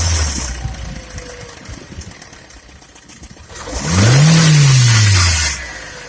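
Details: Skoda A5 (Octavia) 1.6 MPI engine knock, owner asking what the problem is: light, rapid tapping at idle, then a quick blip that rises and falls in pitch. Knock present, cause unknown.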